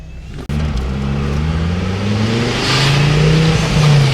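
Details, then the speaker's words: Ford Focus ST/XR5 Turbo on the road after fixing the exhaust leak at the turbo: clean steady note rising under load with natural untuned pops; driving far better. "it's already driving 10 times better than it was before I kid you not and the pops are back you guys can probably hear that this car is not tuned to pop"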